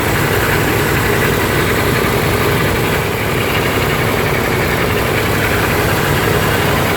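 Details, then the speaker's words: 1974 GMC 6500 V8 dump truck: deep, steady idle with an even rumble and no knocks or misses; operational engine sounds healthy. "jimsy 6500 v8 dump truck right now you can hear and see an operational engine"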